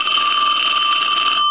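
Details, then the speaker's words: Western Electric Princess telephone at initial checkout, bell previously out of adjustment; steady bright ring softening as the volume adjustment, previously not working, is turned down; ringer working. "I'm going to give you a couple of different angles of that I'm going to let it ring one more time now I'm going to hit the adjustment to soften the ring"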